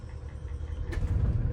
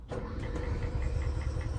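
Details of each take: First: Toy hauler RV generator, run on a jumper pack after sitting with old fuel and failed first attempts, catches: low uneven rumble firming up as the engine starts running; engine starting. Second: RV toy hauler onboard generator cranked off a jumper pack after priming: slow, labored turnover with dull low churn and faint regular ticking, never catching; smells of old fuel, hard start, caught on a later try.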